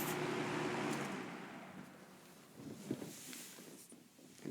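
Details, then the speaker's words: NOS Superlectric two-speed box fan model 2072, plastic-shelled motor, after switch-off from high: whoosh fades smoothly with surprisingly long coast-down, no rattle or scrape; normal spin-down, motor otherwise has slight start-up whine and running hum. "and as you'll see it has a surprising uh good spin down time when it goes to nearly stopping it seems to kind of keep going a bit and then"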